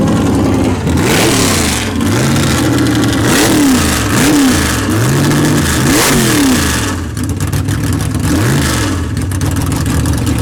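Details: Big-block Chevy V8 in drag car "Bad Penny" after tunnel ram swap, track testing: repeated crisp blips rise and fall cleanly, picking up instantly and settling back without miss or stumble; running healthy.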